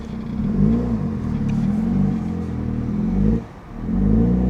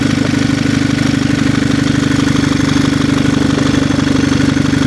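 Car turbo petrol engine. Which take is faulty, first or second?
first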